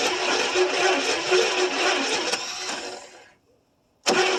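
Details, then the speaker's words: 1974 International 200 two-wheel-drive pickup that sat about 25 years with a once-seized, now freed engine; starter turns the V8 over at about 4 turns/s but it never catches. Owner suspects it needs more fuel and is unsure the tank has gas. "More than likely, she needs some more fuel. I don't know if it's got any fuel in the gas tank or not either."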